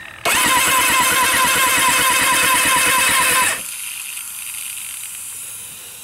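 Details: Carbureted Kawasaki Ninja ZX6 with new plugs, correctly wired plug leads, a cleaned carb, good battery, fresh fuel and sparks that test OK; fuel mists from all four carbs. In neutral, it cranks evenly for about three seconds but never fires.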